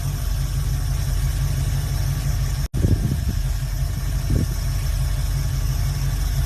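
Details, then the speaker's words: Carbureted V8 hot rod on a new carburetor with the choke set gives a deep, steady, even idle with no knocks or misses. It is responsive and idling well, run on a temporary battery. "but yeah, this bitch is purring, responsive, everything, idling badass. Choke is golden."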